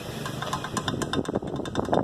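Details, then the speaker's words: Ford EcoSport rolling over cobblestones with sharp, uneven knocks four or five a second: something broken inside a shock absorber. The tie rod ends and ball joints are new and fine. "alguma coisa quebrou dentro do amortecedor aí fica fazendo esse barulho quando ela no casamento"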